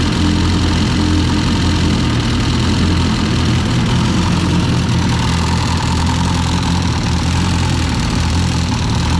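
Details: Cold idle of all-motor LSV engine in EF hatch, block cold, before valve adjustment and spring-type LMA install: deep, busy jingling clatter from the head over the engine note; valvetrain noise, suspected loose valve adjustment or missing spring-type LMAs.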